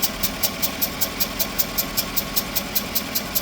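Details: Pickup with a just-replaced engine, hot at idle: sharp, even tick about two and a half times a second; sounds like an exhaust leak, though unconfirmed.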